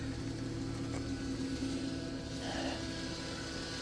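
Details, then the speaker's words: 2011 Mercedes, cold, at idle: a steady faint low whine that doesn't change with engine speed. Suspected power steering whine that may fade once warm; not confirmed. Alternator charging. "yeah i mean it is cold so that power steering wind may go away once it warms up"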